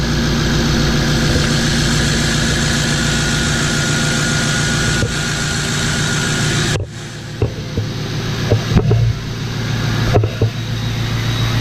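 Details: 1977 Ford F250 crew cab with swapped 6.0L Powerstroke diesel: steady idle clatter, brief dip and light throttle, then settles; even running with no knock or miss, loud, smokes a little.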